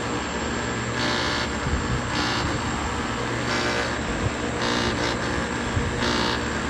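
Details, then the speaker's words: Outdoor air conditioner compressor unit running: harsh steady roar and rattle with a loud hissing surge every second or two; loud abnormal running noise, bad electrical board suspected, source unconfirmed. "all right we're at mr lee's house but i heard the air conditioner just making that like strange noise coming from it"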